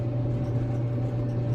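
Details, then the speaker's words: Maytag Bravos XL dryer running after the idler pulley was replaced to cure a loud screechy squeak. A smooth, steady low rumble with no squeak or scraping, the drum turning normally; normal running noise. "that's just the normal noise but it wasn't that loud screechy uh squeaking or whatever"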